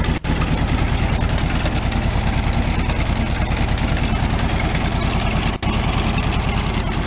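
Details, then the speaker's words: 1978/79 VW Super Beetle convertible, fuel-injected air-cooled flat-four, tired engine that smokes: lumpy uneven idle with a regular thumping beat about three per second; one cylinder dead, suspected loose or failed wire, low compression on one cylinder; misfire. "it could have something just like white wire off or failed or something like that too but I do know I had a little compression on one cylinder"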